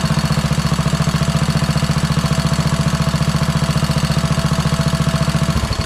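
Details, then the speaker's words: Kohler Courage single-cylinder engine repowering a Craftsman LT2000 lawn tractor, after epoxy repair of a crankcase crack and tightening the drain plug; steady idle about 214 beats a minute with a light tick each beat, lifter noise; oil still drips. "cool so you did hear there are some uh lifter noises"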